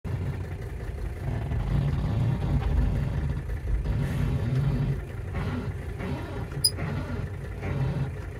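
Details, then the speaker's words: Mercedes W123: low, wavering groan over engine rumble as steering wheel turns, reverberating through car and audible outside; owner suspects steering idler arm bushing, replaced a year earlier with Febi kit, groaning after months, poor return to center. "I have a suspicion as to what is causing my horrendous groaning noise this guy the steering idler arm bushing things"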